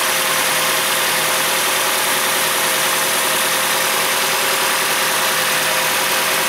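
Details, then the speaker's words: 2004 Nissan Frontier 2.4L after valve cover leak repair and new spark plugs: even, steady idle with smooth beat, no stumbles or misfire over about seven seconds; normal idle. "well it's it's done the plugs are in it sounds good it doesn't sound like it's missing"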